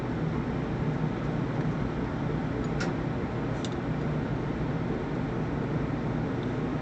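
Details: World Model A hand dryer, General Electric universal motor reassembled, first bench run before the heating element is reconnected: an even, steady airy blower rush with no grinding, squeal or rattle; healthy bearings.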